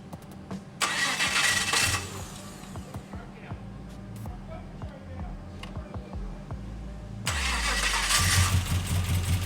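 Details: LS-swapped HT Holden station wagon, first start attempt: two bursts of steady starter churning with no firing; V8 cranks but won't start, no fuel because the fuel pump was the wrong way round.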